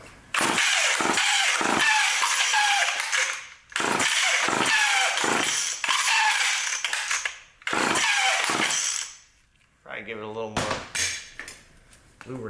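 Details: Old vintage Craftsman Power Sharp self-sharpening chainsaw, switch on, being pulled repeatedly to draw fuel up: fast rasping cord pulls, about three a second, with no firing between them; cranks but won't start.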